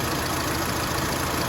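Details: Mitsubishi Lancer, factory CNG, idling after fix and gas injector cleaning; complaint was shaking at idle and stalling when braking on gas: steady even hum, no stumble; idle now smooth.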